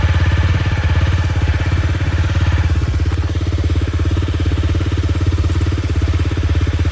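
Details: Honda CRF250L single-cylinder after cam chain tensioner lifter replacement, fitted to cure rattling on throttle closing from a loose cam chain: even idle thumping with no chain rattle or top-end clatter; sounds healthy.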